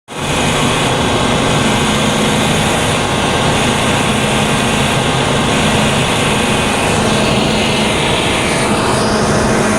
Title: W-22 8.1 making buzzing noise